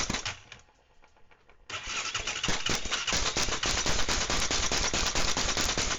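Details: ATV engine first crank after step-by-step rebuild, not everything possibly hooked up. Turns over at about two strokes a second with rattles but never catches: crank no-start; owner suspects it may be flooded.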